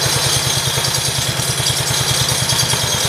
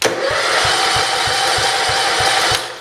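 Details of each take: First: 1968 John Deere 110 garden tractor just after first start since engine reinstall: steady even low thumping at a fast idle with light mechanical clatter on top, running smoothly; clutch assembly still needs work. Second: 1968 John Deere 110 garden tractor, first start attempt after an engine install: steady starter whir with even compression pulses about four a second, no firing; it has compression but cranks without starting.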